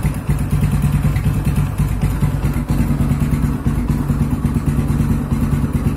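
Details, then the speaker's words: Yamaha Scorpio Z after 6-plate clutch lining and clutch housing replacement and clutch spring holes shifted 180 degrees: steady single-cylinder idle thrum, smoother, earlier clutch rattle gone, clutch quiet. "Lebih halus suaranya. Oke. Suara kopling yang tetap-tetap pun ada aja, udah hilang."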